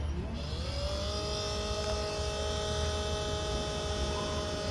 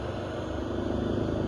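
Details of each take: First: 12 V to 110 V inverter that works normally: at switch-on a whine climbs and holds as a loud, steady buzzing hum coming from the cooling fan. Noisy fan motor. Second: 12 V to 110 V power inverter running normally after the fault was fixed with an adapted replacement part: steady, even low hum from the inverter and its cooling fan, no rattle or buzz, the earlier excessive noise gone.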